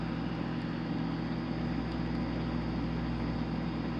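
Steady, even motor hum with a soft wash of water and no knocks or grinding; the dishwasher is running normally.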